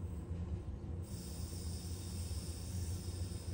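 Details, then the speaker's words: Bicycle wheel trued with zip ties and a spoke wrench; loosening two spokes eliminated the rim rub. A smooth, unbroken, consistent low rubbing with no rhythmic catch or surge on each turn: the rim runs true with even contact. "you can hear how consistent this sound is very consistent sound so that lets me know that this wheel is pretty true"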